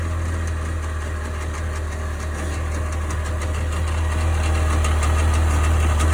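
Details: 1998 Sea-Doo GS 720 two-stroke idling: fairly regular knock about four per second over low engine drone; cause unidentified.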